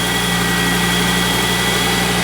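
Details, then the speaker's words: 2.5 engine from Skoda Octavia vRS (RS3 engine) for Audi RSQ3, first run on CTSA ECU: smooth even idle, steady low drone and faint high whistle, no knocks or bangs; engine working, ECU seems to be working. "I think don't want to run it too long yeah nice sounds good engine sounds good no knocking no banging runs good ECU seems to be working"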